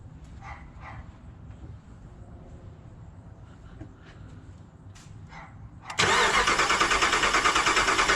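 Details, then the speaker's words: Rebuilt 2009 Hemi 1500 TRX4, fuel pump fuse pulled: steady starter cranking at about three even compression beats a second, not firing as intended while priming oil pressure before first start; normal cranking without starting. "so the first couple of times you hear it turn over first couple of times you hear it turn over it's not expected to start it's just me building fuel pressure and then all I'm sorry oil pressure"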